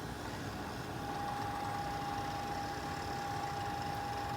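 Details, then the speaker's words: Fluke 199C ScopeMeter cooling fan motor, removed and run on a 5 V bench supply, held against a surface that amplifies it: steady whine over a rough, non-smooth vibrating buzz; the hub is vibrating and shaking around from a dry bearing. "almost hear it a little bit louder when it's against the surface too that acts like a a speaker or a resonator and kind of makes the sound a little bit more noticeable but I can definitely feel a vibration when that's running it's not very smooth"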